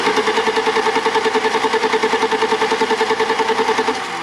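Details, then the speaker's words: 1987 BMW 325i E30, sat after a paint job: even cranking about 3.5 turns a second that never catches; crank-no-start with no injector pulse seen on a noid light, only one tiny flash at key-on. Fuel pump heard running, pressure untested; crank sensors suspected. "No, it did one like tiny one when you first keyed on, and that was it. So why are we not getting injector pulse?"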